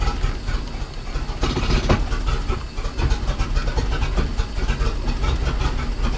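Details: Mercruiser 4.3 boat engine (Manta Ray) starting after new fuel line, fuel filter and fixed oil pressure safety cutoff switch tee; catches and settles into an even rumble, no knocks or misses, holds idle.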